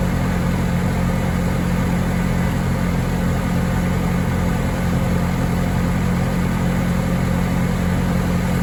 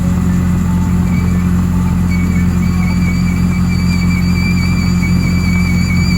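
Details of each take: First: Bobcat T870 track loader after rebuilt drive motor, new sprockets, idlers and tracks, driven by joystick while the hydraulic system bleeds: steady, even low drone, no whining or grinding. Drive motor healthy. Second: Bobcat T870 track loader, left side: steady low hum with faint high squealing, nothing rhythmic, from the left track drive. Owner hoped for the rear idler, but the drive motor was worn out and had to be rebuilt.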